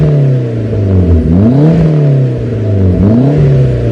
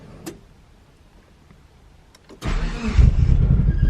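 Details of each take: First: Talon DSM after new head gasket and transmission rebuild, running about ten minutes: smooth, clean idle with quick crisp blips revving freely; engine sounds healthy. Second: DSM Talon on its first start after a new head gasket and transmission rebuild, fresh oil and filter: after a click it catches and runs lumpy and uneven with a wandering beat; rough running on first start.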